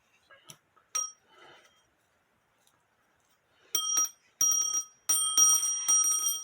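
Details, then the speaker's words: Black Forest Postman's clock dated to 1840, alarm bell after its loose threaded mounting was tightened: short, bright, louder bursts of bell ringing with no buzz or rattle. The alarm rings normally. "It is tighter. Would that wake you up? I'll put it on the table and see what it does. Like I said, it is louder."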